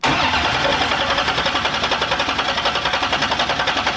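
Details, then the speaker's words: '57 Chevy on a temporary rigged ignition switch with a fuel pump, cranked to build oil pressure: about four seconds of even, fast cranking with steady chug and no firing; cranks but won't start, no gas in it. "We gotta put gas in it first. I know what's wrong with it. Ain't got no gas in it."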